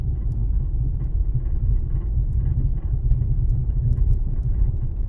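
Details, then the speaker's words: 2007 Toyota RAV4 driven slowly over washboard road, camera hung off right side: dull low rumbling thump like distant thunder from front, silent on smooth road; worn, leaking front strut, not sway bar links or bushings. "it almost sounds like thunder in the distance but it's not like a distinctive rattle it's just a like a like a dull thundering type sound when you're on a smooth service obviously you don't hear it"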